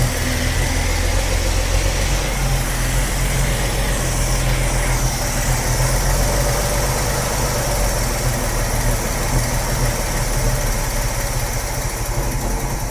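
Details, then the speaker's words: 45-year-old 2.8-litre Vauxhall Royale coupe, after carburettor swap; idle reading 1.7 against a 1.5 target: steady, fast, even engine drone with no dip or hunt; idle speed too high after adjustment. "Still 1.7. Let's take it another quarter."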